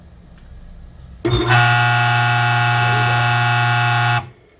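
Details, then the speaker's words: Weber 2 HP low-speed electric motor switched on: loud steady hum with a harsh, dry, rasping buzz over it, a strange dry noise from dry bearings. "Barulho estranho, barulho seco. Olha só, dá para escutar."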